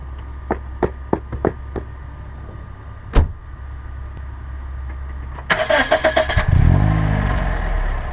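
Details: 2007 Pontiac Vibe left front brake creaks, squeaks and groans only when applied, despite pads and lathed rotors three months earlier; caused by bare, dry pad-to-holder contact points, fixed by greasing them.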